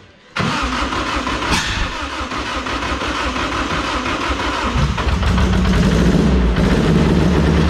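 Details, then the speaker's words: SHO'NUFF race car, still cold, started through a PDM and FuelTech: it cranks, catches, then idles with an uneven, stumbling beat. Only cylinders 2 and 4 are firing, not 1 and 3; the plug wire was checked and ruled out, and a cam sensor error is showing. "i'm not firing on cylinder one and three two and four are the only ones that are firing right now"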